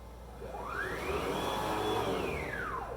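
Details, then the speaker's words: AVID CNC under Mach 4, rapid jog at 1000 in/min held on toward the end of travel with soft limits set: the whine climbs as the gantry speeds up, then sweeps smoothly down to a stop with no clunk. Deceleration at the soft limit is normal. "so in that case i held my jog on completely the whole time i didn't stop it but the machine knew better and started to decelerate from the full speed and stop at the right time"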